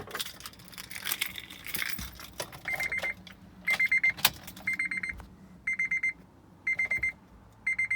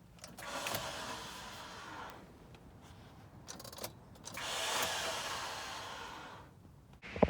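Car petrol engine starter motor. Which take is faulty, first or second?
second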